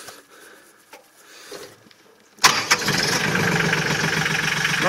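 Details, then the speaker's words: New Mahindra 1526 HST diesel tractor after top cover leak repair, previously had dipstick chatter: after a quiet pause it starts at once and settles into an even idle, no chatter or knocks; sounds healthy. "nice and quiet that's good"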